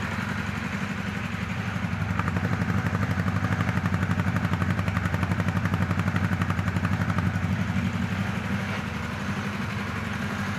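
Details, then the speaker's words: Kawasaki KZ1000 Police motorcycle idling: lumpy, uneven beat with a missing firing stroke on cylinder two, not ignition; misfire bangs the gears around, quiets with the clutch pulled, occasional backfire pops. "you can hear it's got misfires banging the gears around in there like it normally does when it misfires you know you pull the clutch and it goes away"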